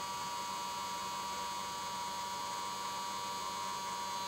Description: 3 Months after purchase my Xtreamer makes a terrible 'grinding' noise at startup. Once the main menu is displayed, the fan reverts to 'normal operating' speed and the fan noise is gone.